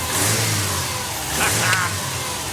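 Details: Subaru Brumby (BRAT) ute with EJ20 engine on fresh 98 petrol, first start after restoration with replaced fuel lines: short clean throttle blip, revs rise and fall evenly with no knocks or misses, healthy fresh engine.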